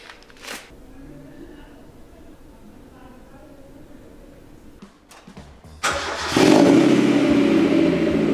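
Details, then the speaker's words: $500 Mazda Miata abandoned six years in a garage, started after oil and filter change: quiet, then cranks, catches and settles to steady even run, brief smoke from exhaust, building good oil pressure, no warning lights; normal start. "A little bit of smoke out the back for a second, but yeah, that's fine. Building up nice pressure."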